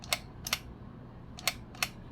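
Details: Spring-wound 8mm vintage movie camera, wound ten turns with the winding key, shutter button pressed for single frames: five crisp, separate clicks at uneven spacing, one per press, clean and consistent. Normal single-frame shutter operation.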